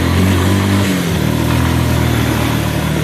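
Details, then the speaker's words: Engine after a new intake boot was fitted, picking up smoothly and evenly under throttle with no misses; runs perfect when given gas and idles well. It sometimes stumbles when taking off; owner suspects watered-down gas or a carb air/fuel mixture needing adjustment. "When you give it gas though, it runs perfect."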